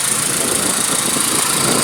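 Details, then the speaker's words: 2001-2005 Honda Civic idling after a DIY spark plug change: a steady, even idle hum with a faint smooth buzz and barely any vibration, typical for these engines; no misses or knocks, running normally. "It's barely vibrating. That's typical with these engines."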